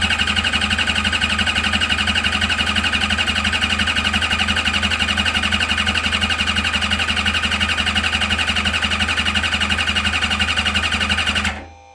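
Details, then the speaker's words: Engine cranking on two uncharged batteries at about 15 volts, fuel pump running, voltage dropping only to 12-13: brisk, even cranking about four compression beats a second, oil pressure reaching almost 60 psi while cranking. "What was that, almost 60 pounds of oil pressure cranking? You can hear how much more it likes that extra voltage."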